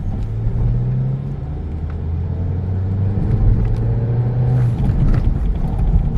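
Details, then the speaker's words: 2012 Peugeot 308 1.6 driving after underbody repair; right-side knocking and rubbing noises gone after the Z-rod was replaced. Steady low engine drone, no clunks or rubbing; suspension now quiet. "o hepsini kaynağı zehir olmuş z-rot değişti sürtme sesi de gitti log-log ses de gitti"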